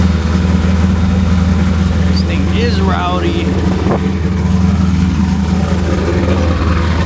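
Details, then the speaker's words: Truck cold start at night: loud, deep, steady idle with an even beat and no knocks or misses; rowdy but healthy, no smoke, no leaks. "This thing sounds good. Doesn't smoke, nothing. No leaks."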